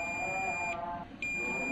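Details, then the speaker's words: TOA ZA-2021 amplifier that keeps blowing fuses: multimeter continuity test on final output transistor (C598) gives a long continuous beep with a brief break; transistor measures shorted, parallel partner also reads short. "dan teman-teman cukup mendengarkan aja untuk bernya p bunyi panjang seperti ini untuk TR yang pertama Coba kita ukur Nah untuk trn nampaknya terukur shot ya"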